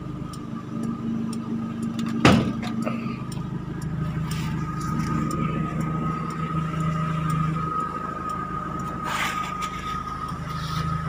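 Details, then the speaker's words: Timor DOHC (Kia Sephia S515i) engine started after battery voltage restored to normal, having failed to crank on a weak battery: steady low hum and even pulse after a brief clunk; normal idle. "Nah, mesin sudah hidup ya teman-teman, sudah bisa di starter karena baterai voltasenya sudah normal."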